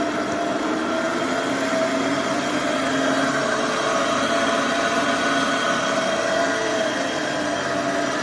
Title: Epic E60L Bad Motor Bearing